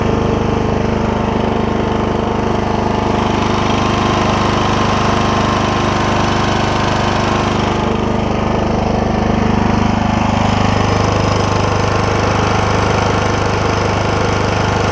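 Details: Troy-Bilt Super Bronco lawn tractor, Kohler Courage single-cylinder with cracked block repaired with JB Weld, belts and blades refitted, test run: steady, even drone with a regular beat, no knocks or misses, running smoothly.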